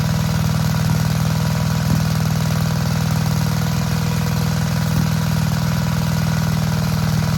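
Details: Vintage Gravely Model L garden tractor with Jenkins overhead-valve conversion, bought at estate auction, running after only cleaning points and adding gas: steady single-cylinder beat at about four firings a second, even with no misses or knocks; healthy.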